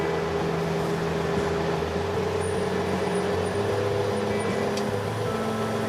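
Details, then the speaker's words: Kubota L3901 HST tractor diesel idling with the BH77 backhoe attached: a thin, even squeal holds pitch over the idle. The owner suspects the engine belt idler and plans to fix it at the 400-hour maintenance. "yes I do hear that squeal it's probably the idler on the engine belt I'll take care of that at the 400 our maintenance which I'm about to do"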